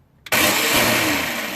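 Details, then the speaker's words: Toro CCR 3650 R-Tek single-stage snowblower electric starter: sudden high steady whir with no cranking beat; starter drive gear teeth ground off, spinning free without catching the flywheel; needs new gear. "it does move forward as it spins. As it's engaged. So the teeth are not catching because the teeth are now gone."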